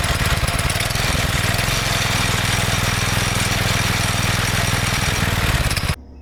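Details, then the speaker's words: Go-kart engine after sitting about 3 years: loud fast single-cylinder thumping, slightly uneven, then cuts out; runs awful and smells, from bad gas left in a tank pocket owner couldn't drain, to be burned out. "It smells awful and it runs awful. There's still some bad gas somewhere in the tank, like in a little pocket that I couldn't get out."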